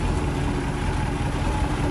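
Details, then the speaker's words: 1996 Bayliner Capri 2050 SS, 305 Chevy V8, after refitting the valve cover, with hose hooked up: a low, steady, even idle. Normal idle. "That ain't nothing like a V8 Chev. Let's see if we can get her down a little bit idle. I'm barely touching it right now. Oh, that is idle."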